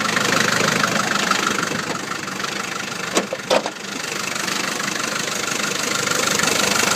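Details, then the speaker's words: Land Rover Series 3 2.25 diesel, five-bearing engine, after 10–15 s of glow plugs: knock coming in with revs over the idle clatter, roughly three a second, going away when revs drop; owner suspects timing or fuel pump, timing known to be out. "it's quite a good strong engine apart from this knocking sound there it is you can just hear it coming in now but when I let off the revs it goes and it does run quite nice"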